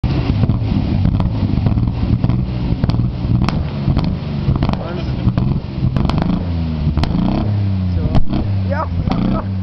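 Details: Ford Sierra XR4x4 twin turbo revving up and down, with sharp irregular pops and cracks and flames from the exhaust: a misfire backfiring into the exhaust.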